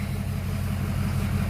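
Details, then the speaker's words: 2005 blue truck, started and idling for comparison with misfiring flatbed: deep even idle with steady low rumble, no skips or stumbles; normal idle, firing cleanly. "you don't even hear a lick and miss on this one [Music] yeah this one runs awesome"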